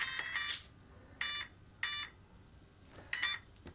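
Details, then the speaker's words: LOSI 1/4 Promoto-MX motorcycle RTR, transmitter on first, flywheel off, powering up: handful of short bright beeps under a second apart as ESC calibrates; normal ready beeps. "so if you hear it start up it'll calibrate itself then you get the beeps to say it's ready"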